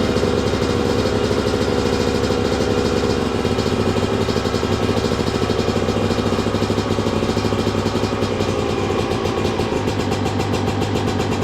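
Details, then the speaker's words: 2002 Yamaha YZ125 two-stroke bought cheap after sitting a long time, with a new part fitted, choke on, first start: crisp, even idle with clean throttle blips, no crank knocking or clattering; running normally. "Yep. She runs good. Let's go. Well, there you go, guys. Running really good too."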